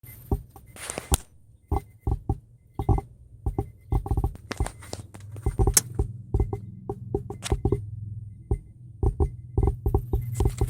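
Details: Subwoofer distorting, irregular sharp pops and crackles breaking through the deep bass thump; cause unknown, online searches did not fix it.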